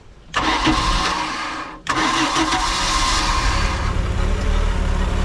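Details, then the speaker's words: 1992 Bayliner boat engine on water hose, first start after winter storage: cranks briefly, catches on the second try and settles into a smooth, even idle with no knocks or misses; oil pressure near 70 psi, runs well. "Starts up quick. Runs real good. Sounds real good."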